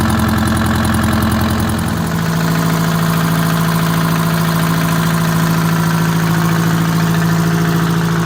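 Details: WMT 4-115 diesel started for the first time in three months after shop work, out of gear with brakes on; cranks and catches, then settles into a steady, even idle of about three and a half beats a second; normal start and idle.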